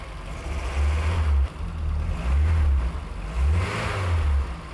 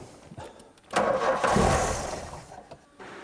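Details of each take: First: 1988 Golf Cabrio GTI after the fuel pumps were heard priming: the engine starts, answers repeated throttle blips cleanly about once a second and idles steadily in between with the dash lights off; normal revving. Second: 1988 VW Golf Cabrio GTI, revved with brake cleaner sprayed into the air intake: ragged splutter that half catches, surges unevenly and dies, getting weaker each try; fuel starvation, suspected blocked filters or fuel pipes.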